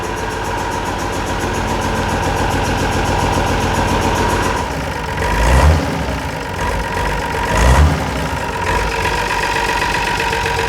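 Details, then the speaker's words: Unimog 416 diesel after fuel repriming, lift pump suspected of having stuck, pedal-held high idle as the hand throttle is broken: steady even clatter with a couple of small surges, no misses; running great. "Even though the hand throttle is broken, I managed to push the pedal down far enough to hold this high idle."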